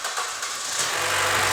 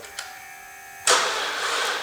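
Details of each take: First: 2013 Chevy Cruze crank-no-start after sitting about a year, drive belt cut off and possibly weak battery; short hiss then engine catches and runs evenly with belt removed, suggesting a seized pulley was holding the engine. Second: 2013 Chevy Cruze parked about a year, defrosted after minus 30°C, full battery plus booster pack: starter drags and strains, turning over slowly and unevenly; slow crank.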